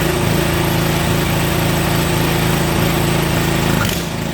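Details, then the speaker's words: Toro snowblower small single-cylinder engine after carburetor cleaning: steady, even chug around idle with no misses or surging; runs fine and starts easily, but dies when the throttle is turned all the way down. "she runs i don't know if it's supposed to shut off though when i turn it all the way down"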